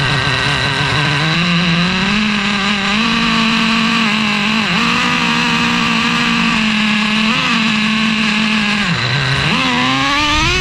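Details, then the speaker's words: Traxxas Revo 3.3 nitro engine, first start after fitting a THS Racing tuned pipe (stock header cracked): high buzzing note wavers, stumbles and sags at high revs; no exhaust leaks seen, owner suspects running lean and richens the needle. "The engine fires up. There do not appear to be any exhaust leaks. I'm looking around the pipe right now, but of course, it sounded fairly bad."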